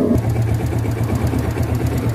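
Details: Yamaha Vega ZR small single-cylinder motorcycle, long unused, first start before overhaul, leaking valve seals, worn piston and rings suspected: uneven idle with rapid clatter on firing pulses; connecting rod knock and worn cam chain.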